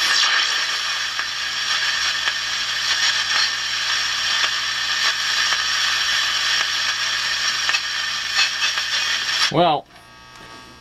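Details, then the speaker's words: Hallicrafters 5R230 radio, supposedly 1953, on shortwave with only a finger as antenna, 40 meter ham band: steady hiss, whistling carriers and faint signals, then a swooping tuning sweep; receiver pulling stations in well. "i flipped it over to shortwave now the only thing i'm using for an antenna is my finger here and i have a totally separate transmitter for recording that's the 40 meter ham band there's that's amazing absolutely amazing"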